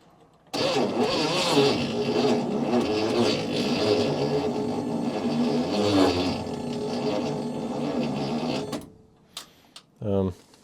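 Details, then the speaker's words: 1972 International Cargostar, known good battery, charger and jumper cables as extra ground: starter drags the engine over slowly and unevenly, about 2.5 turns a second, no start; owner suspects a tired starter or bad ground. "I also put jumper cables on there as an extra ground just in case it's a bad ground where it's cranking so slow but uh maybe that starter is just a little tired"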